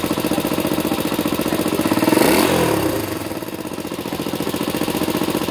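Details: Engine with running faults: loud, fast, steady knocking at about three to four beats a second over the running engine, louder on a throttle blip; engine knock, source unclear.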